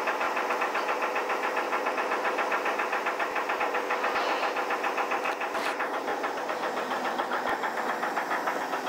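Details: 1983 Chevy S10 4x4 with 2.8 V6 idling with a deep, regular knock about two and a half per second: rod knock on #1 cylinder; owner plans a 3.1 swap.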